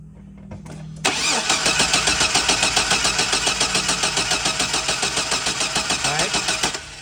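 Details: 2004 Chevy Silverado 4.3L RWD cranks steadily about 3.5 turns a second for six seconds without catching. Crank sensor replaced and its power and ground good; spark weak at the plug tester but brighter at the coil, so cap and rotor are suspected.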